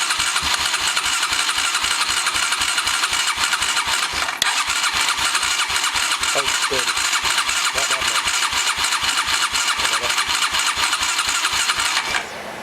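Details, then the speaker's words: Honda Recon 250 (TRX250TE) ATV after engine rebuild, first start attempt: starter churns at about four pulses a second with faint sputters, no catch. The carburetor wasn't getting fuel; the fuel line was pulled off and drained. "It sputtered there a couple times, but I'll cut the camera back on in a sec. Alright guys, I think we got it figured out. The carburetor wasn't getting any gas,"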